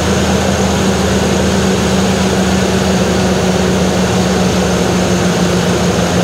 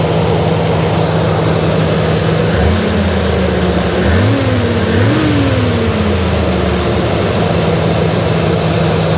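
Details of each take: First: Jeep CJ5 after carburetor work: loud, steady, smooth drone a bit above normal idle; idle set high from earlier adjustment and owner can't bring it down. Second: Jeep CJ5 carburetor that wouldn't idle, after cleaning jet and adjusting: steady low idle holding after short blips, no stumble or hunting; idle still slightly high, possibly timing.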